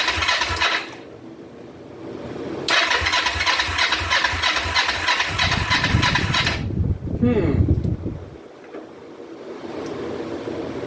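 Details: 2004 Kawasaki Vulcan 500 stored two or three years, petcock on prime after float bowl reassembly, choke applied: two long bursts of steady cranking, about three turns a second, never catching; cranks but won't start while fuel is awaited in the cylinders.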